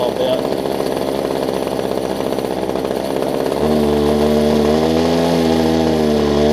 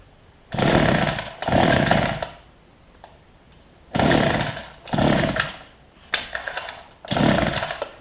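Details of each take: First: Older Homelite two-stroke hedge trimmer after new fuel lines and primer bulb: buzzy rattle settling into a steady higher drone while warming up; running cleanly, normal. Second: Older Homelite two-stroke hedge trimmer, new fuel lines and primer bulb: revs in short bursts that sag and die back unevenly; rough running, owner suspects fuel delivery, low and high speed jets being adjusted.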